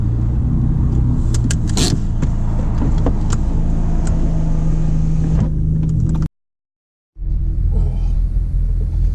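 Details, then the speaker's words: Turbocharged EcoBoost Ford Mustang with aftermarket catback, resonator tips removed: low deep exhaust rumble with scattered pops and crackles at low revs, below 3,000-4,000 rpm; fix is welding the resonator tips back on. "So you guys can hear all this backfired stuff. So right now I'm going to the muffler shop, and I'm just going to get the tips welded back on."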